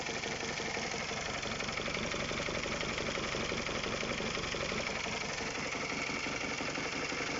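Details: Honda K20A type 4 engine at idle; fast metallic tapping about three per second over an even idle hum; engine knock at idle, source not pinned down, cause suspected, not confirmed.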